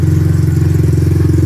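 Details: 1986 Honda ATC200X single, just started from ice cold with the air filter not hooked up: quick, even thumping, loud through the exhaust but regular with no misfires. Little loud for a 200X, but a normal healthy idle.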